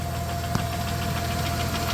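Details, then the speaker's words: 1993 Plymouth Grand Voyager SE, revived after 18 years parked, idling on all six with good oil pressure: light, quick, even top-end clicking over a steady idle. Nothing found rubbing underneath; owner suspects the cam is wearing. Valvetrain ticking, not confirmed. "oil pressure looks good still making a clicky clacky but take a look under here I don't see anything where it's rubbing or making"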